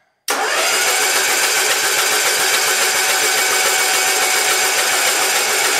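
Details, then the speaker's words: Kohler Magnum M18 from a Cub Cadet 1882, rebuilt and on a test stand, cranked with spark plugs removed on a slightly weak battery to check oil pressure; fast, even free-spinning whir with no firing, knocks or drag. "okay so pull the spark plugs out battery's a little weak right now so let's see what we get"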